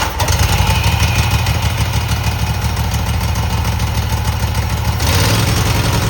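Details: Cub Cadet garden tractor twin just after new spark plugs, carburetor not cleaned, frozen choke, and an unlocated gas leak: an even, steady low throb at about 200 beats a minute with no misses or knocks. Normal running.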